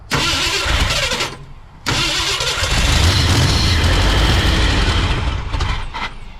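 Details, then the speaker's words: 1968 Ford F100 after a 4-barrel carburetor conversion and timing chain install: the engine cranks, catches and runs ragged and stumbling; vacuum leak, later traced to a thumb-size hole. "that is an issue with a vacuum leak somewhere"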